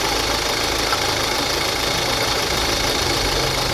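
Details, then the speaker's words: Kia Sportage diesel, 186,900 km, at idle: rough gritty rumble and rattle from engine front, steady with engine speed; no coolant loss or overheating. Water pump found turning loosely, worn water pump bearing noise. "Arkadaşlar şimdi size motorun önünden harıl horul ses geliyor Ne bozuk onu göstereceğim arkadaşlar"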